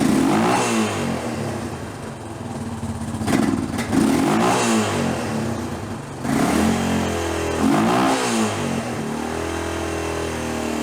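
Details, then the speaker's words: Hard-ridden Honda TRX350 Rancher ATV that smokes and burns oil, non-OEM silicone around cylinder, poor carburetion: single rasps up and down through blips with loose metallic clatter on each rev; worn top end suspected. "So I do feel like I may know where the oil is going. Yeah. This thing's kind of beat. I'm going to guess the looks of this air filter right here, this thing needs a top end."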